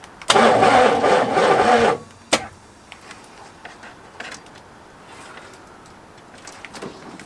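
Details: 1985 Oldsmobile Cutlass with a 307 V8, sitting for years, on its first start attempt after the engine was freed and plugs and the distributor wire were installed. A short, steady cranking burst of about a second and a half that quits without catching; cranks but won't start.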